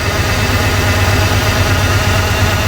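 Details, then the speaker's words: Truck that sat for years, first runs after revival, idling: loud, uneven, lumpy stumbling idle with no steady rhythm; rough running with a shaking misfire of unknown cause, though oil pressure is good. "it's still really rough. But it runs. Sort of."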